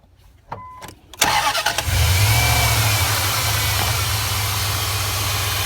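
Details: 2001 Dodge Durango 4.7L started in a cold, windy winter snowstorm, battery reading 12.3 V before start: brief crank, quick catch, smooth even idle with no knocks or squeals; charging 14.3 V afterwards, normal start.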